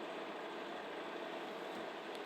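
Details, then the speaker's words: Samsung ME713KR microwave at full power with a glass of water after replacing the magnetron feedthrough capacitor: quiet even hiss with a faint steady tone, the earlier loud droning hum is gone; magnetron heating again, repair successful. "Ну что ж, этот гул — тот самый, что был раньше, — исчез."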